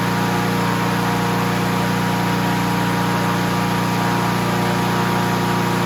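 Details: Honda HR17 push mower, flathead engine, guessed early-to-mid 1980s, after freeing stuck governor and likely sticking throttle butterfly, shroud off: even, steady single-cylinder beat at proper operating rpm with no hunting or surging.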